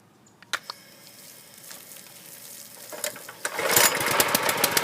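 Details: Husqvarna PW3200 pressure washer, Briggs & Stratton CR950 208cc single, flood-submerged in Hurricane Ian, after draining bad gas and milky oil, pump oil not yet addressed: quiet, then catches and runs ragged with uneven popping and knocks; rough running.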